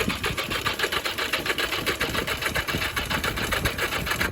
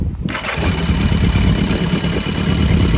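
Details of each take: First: Barn-find 1982 Yamaha Maxim XJ750 cranking on a possibly undercharged battery: slow, laboured starter chugging that never catches. The plugs were found flooded; the owner suspects it needs a stronger battery or starter fluid, and possibly has weak spark. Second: Barn-find 1982 Yamaha Maxim XJ750 after the flooded plugs were cleaned and dried, started with a little choke: it catches at once and settles into a fast, slightly uneven idle with a deep exhaust beat. It starts and runs; the gas tank issues remain.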